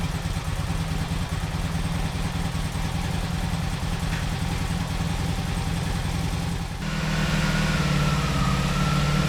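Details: 1986 Honda VF700 Magna on first run after fuel system flush and carburetor cleaning: uneven burble settles into a steady idle, then rises to a firmer, smoother note as revs lift; running cleanly.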